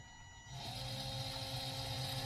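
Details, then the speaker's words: DC gear motor on Arduino PWM via L298N, potentiometer at maximum: spins up to a steady fast whir with even gear hum, no knocks or grinding; L298N chip stays cool, running normally. "it's very quick and this is not hot at all"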